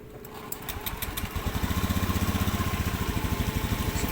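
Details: Honda Scoopy FI scooter, restarted after ECU reset via scanner, previously lacking power despite new roller, clutch and belt: a few starter clicks, then a steady, even putter about three beats a second; normal idle.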